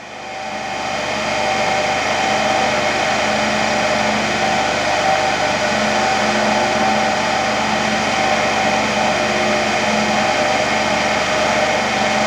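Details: Motor-generator (AC–DC) trainer set, AC motor going from star to delta, DC shunt generator giving residual voltage with field winding not yet connected: smooth constant hum, steady high tone, no knocks, rubbing or speed swings.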